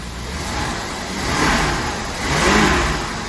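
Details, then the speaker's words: 1977 Winnebago engine, abandoned 20 years, previously running on 7 cylinders, after fresh 15W-40 oil: revs blipped up and down twice cleanly, no misfire or knock, wind noise; sounds healthy, possibly just a gummed-up plug. "oh that sounds super healthy might have just had a gummed up plug"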